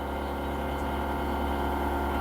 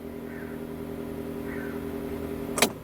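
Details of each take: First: UAZ Patriot auxiliary heater circulation pump, newly replaced motor, running over engine idle: a steady even low drone loud enough to bury the engine, worse than the original pump, which hummed less but squeaked in the cold. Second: UAZ Patriot auxiliary electric heater circulation pump, original motor, alternately mounted on a rubber damper and without: smooth steady low hum, no rattle or buzz; pump running quietly and evenly, normal heater pump hum.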